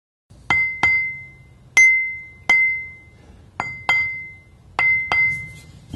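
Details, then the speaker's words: Ring test of a hanging grinding wheel tapped about 45° either side of the centerline: eight light taps each give a clear, sustained high-pitched ring, so no crack. "we can clearly hear the ring when we tap this wheel so it doesn't look like it has a crack"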